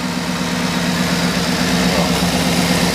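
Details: 2010 GMC Yukon Denali XL, L94 6.2 V8, 121,000 miles; steady, even low rumble with a smooth firing rhythm, no knocks or ticks. Engine sounds good, clean and healthy. Normal idle.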